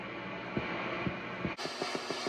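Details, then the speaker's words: Peavey 6505+ guitar amp, clean channel after cleaning the pots with contact cleaner: steady hum with soft regular thumps about twice a second that quicken after a brief dropout; source unclear, possibly a pot. "This is sounding pretty good. I don't know what that crossover sound is right there."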